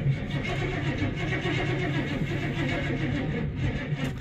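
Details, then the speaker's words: Crew cab truck with TBI 350 V8, marketplace buy, fresh battery, oil fine, no coolant, fuel tanks junk: slow labouring turnover with uneven compression pulses and no catch, battery run low from repeated cranking; slow cranking, no start. "turns over but uh I did that too many times on the other takes of this video so the battery is kind of low but uh it turns over that's a good sign"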